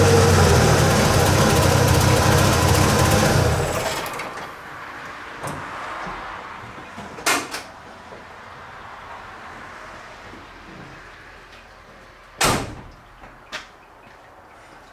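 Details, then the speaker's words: 1985 Ford F150 with the 300 inline-six, after a new distributor cap: a few seconds of loud, uneven running, then it cuts out. It runs better than on arrival but the idle is still rough. The owner suspects the carburetor; a belt is also very loose. "well it's a little bit better it's running better than it did when I pulled it in but you can hear that it's still got a and I think it's coming from our carburetor"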